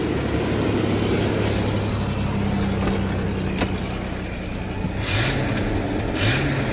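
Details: Chevy S10 4.3L V6 after reconnecting the mass airflow sensor: steady even idle hum, then two quick blips that rise and settle cleanly; runs smoothly, clogged catalytic converter only briefly wondered about.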